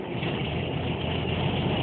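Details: Air-cooled VW Beetle, which previously would not idle without holding the throttle, after its hoses were taken off. Steady, even low rumble with no misses, idling high on the working choke.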